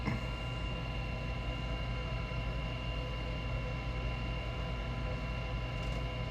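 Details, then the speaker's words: Goodman gas furnace start cycle: combustion (inducer) fan running before igniter and burner light, steady low hum with even whine, no knocks or scraping; main blower motor failing separately; normal inducer fan startup. "up that's the combustion fan running right now igniter and the burner"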